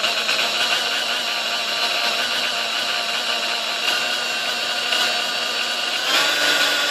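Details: Sunbeam Mixmaster model 1-7A (235 W) before service: motor hum wavers and surges instead of holding steady at low settings; it struggles at low speeds and was fixed by replacing the speed-control resistor.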